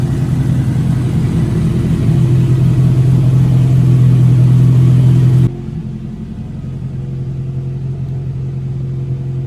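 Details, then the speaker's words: 1986 Toyota Corolla AE86, parked since 2010, running after its spark plugs were cleaned, coolant temperature coming up: smooth, steady idle, a little high, with no knocks or misses; runs good. "Idling a little high, but coolant temp's coming up, so looks good."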